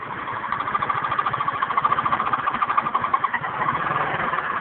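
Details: GY6 (152QMI) scooter engine, warm, at steady idle. A quick, uneven tapping chatter in the upper mids, several taps a second, that only appears when the engine is warm. Source unknown.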